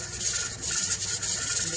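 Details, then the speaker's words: Pressure canner of potatoes on a gas stove with the weight fitted, pressure still climbing before the gas is turned down; steady high steam hiss with faint irregular rocking puffs from the weight; normal venting. "make sure you leave the door open so you can hear the jiggling that is what it's supposed to do"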